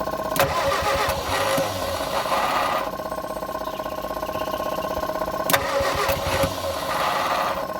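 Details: Abandoned Morris Minor being revived: starter cranks steadily with a few uneven catches as a cylinder fires and drops out, skipping on the starter motor but never running; no start yet, small amount of petrol to be introduced next.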